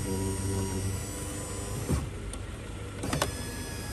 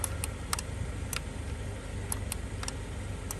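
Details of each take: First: 2011 Kia Sorento with a new window motor, tested with the old door switch (which sticks in the down position): auto-up now works, a steady even motor whir with a clean stop at end of travel, a healthy window motor. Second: 2011 Kia Sorento driver power window with new window motor and new door switch module: light irregular relay-like clicks, about ten in a few seconds, with no motor run; new switch module lacks auto-up and doesn't match the motor.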